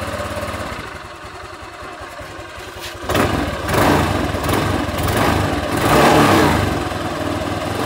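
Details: Honda Vario 150 scooter at 93,000 km, after an oil change to a Bimoli cooking-oil mix with a little Shell Rimula R4X: the engine catches and settles into an even idle with smooth throttle blips and no knocks. The owner says it still sounds smooth and normal.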